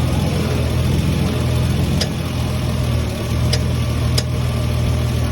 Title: Lexus is300 unknown popping noise